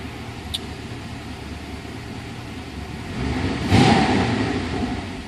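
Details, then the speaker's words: Porsche 928S V8 after tune-up and fuel system cleaning, smooth even note under light driving load, swelling cleanly as revs rise with no misfire or knock; running healthy, transmission shifting smoothly. "it sounds it sounds good yeah this thing's running like a champ"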